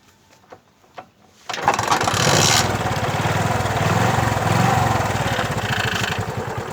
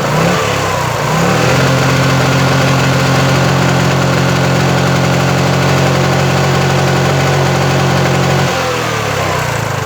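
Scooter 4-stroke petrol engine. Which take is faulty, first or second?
second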